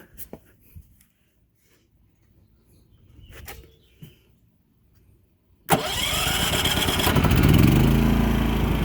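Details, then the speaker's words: Champion 3100 dual-fuel inverter generator, electric start: quiet handling, then a quick crank and it catches at once, settling into a steady even run in economy mode. Normal, healthy start. "Fires right up, no problem. Right now it's on economy mode."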